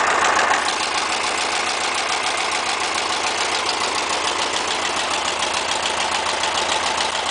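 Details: VW Beetle with a new engine at steady idle: a light, regular tapping about three or four times a second rides over it. The cause is unknown.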